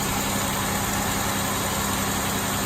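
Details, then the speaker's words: 2002 Chevrolet Impala GM 3.4 L V6 idling after head gasket replacement: an even, steady idle with a constant low drone and no knocks, ticks or misses. Running smoothly. "Nice and smooth."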